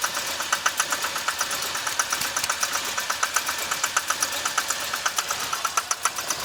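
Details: 2006 Chevy Impala 3.5 V6 flex fuel, hood open: rough, unsteady idle with sharp ticking clicks about every two-thirds of a second. Burning smell, reduced engine power, traction service light, stalls while driving. Codes P301 and IAC; cam sensor and magnet already replaced. Cause undetermined.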